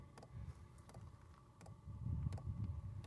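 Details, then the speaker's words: Low-power diesel heater running in a tiny house; light, sharp ticks about every half second over a low rumble from the fuel pump under the small tank, which is normal operation. "If you listen close, you can hear it ticking down there. There's a fuel pump underneath that small tank on the left."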